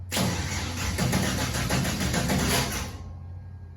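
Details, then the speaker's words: Slow cranking of LS-swapped 1964 Chevy II Gasser with Holley Terminator X, no water pump fitted: loud regular pops about four a second spitting back through the intake, stopping when cranking ends; intake backfire from ignition timing 180 degrees out, coil pack harnesses reversed. "popping back through the intake. Really? Yeah. All right. Let me do some studying on that. I don't know why. Like the timing's way off."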